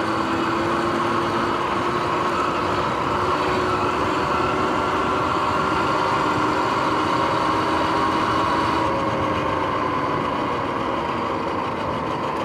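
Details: Sur-Ron X electric bike riding in the evening: continuous whirring drone with steady faint tones over wind and road noise, from noisy bearings before they were replaced.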